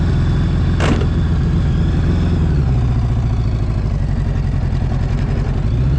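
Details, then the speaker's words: Honda GL1000 flat-four motorcycle just after a cold start on choke, carbs not perfectly balanced, sitting at a high, fast idle: one short harsh crunch as first gear is forced in at those high revs. "you guys hear it stripped there a little bit kind of you guys probably heard it crunch the gear a little bit that's because the RPMs are so high when you put it in first it doesn't like to be put into gear at that RPM"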